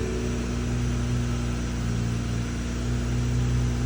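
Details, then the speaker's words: 2020 BMW X5 G05 B58 2nd-gen, cold-start idle after replacing the fuel tank breather valve and gas cap for long starts after fill-ups and codes P0172 and P0456: steady, even low hum with no misses, knocks or hunting; clean idle. "All right, we got our new breather valve installed. Let's see how is the cold start with the new fuel tank breather valve."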